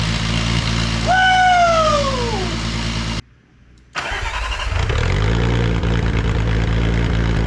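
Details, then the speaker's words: 2002.5 VW GTI VR6 6-speed front clip cut from the car, started after adding grounds and priming the fuel pump. It cranks, catches, revs briefly and settles into a steady, even idle with no misfire: normal idle. "She's idling down good. It's not unhappy over there at all."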